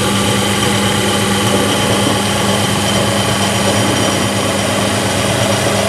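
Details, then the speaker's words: Low-cost bench drill after modification to oil-lubricate the spindle bearings, oil seeping through the bottom bearing: steady even hum, smooth, no grinding or rattle, audibly smoother after oiling. "and I can actually hear the difference some from the oiling up sound really nice and smooth"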